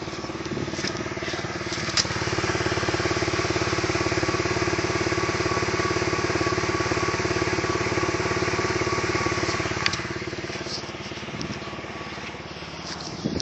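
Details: E46 BMW 330Ci at idle: a steady, quick puffing tick rides on the exhaust note; owner suspects an exhaust leak, but the cause is unconfirmed.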